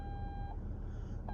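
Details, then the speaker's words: Nissan Armada in drive: solid high-pitched tone held about half a second, pausing and returning steadily; front proximity sensor false alert, only dirt ahead, won't stop. "that's telling me there's something in front of me now you hear that annoying sound that is nice to start with it's like hey something's going on now I'm in drive and it rings it back up and see the Red's still there but folks the only thing in front of me is dirt and this sound will not stop"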